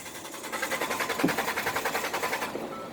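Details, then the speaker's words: 2012 Ford F-150 cranks but won't start: steady starter cranking at about three and a half beats a second that never catches, caused by a blown fuse; replacing the fuse gets it running. "but that's the problem if your f-150 is not starting that is the problem so if you crank in the engine and the engine just do let me show you just go like not starting"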